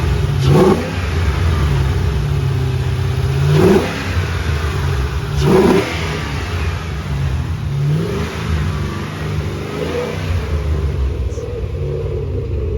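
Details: 3V Mustang GT 4.6 V8, newly installed engine with new clutch, flywheel, headers and the original Steeda underdrive pulleys, after first start: loud deep blips rising cleanly and settling back, no knocks or rattles; normal revving, engine healthy.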